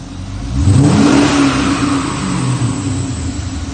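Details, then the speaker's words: VZ Commodore 6.0L V8 after repair of rough running with P0300 random misfire, one bank lean: smart blips settling into smooth steady high idle, no stumble or miss; fixed. "here is a video of it running out oil and a few revs just to show it's running perfectly now"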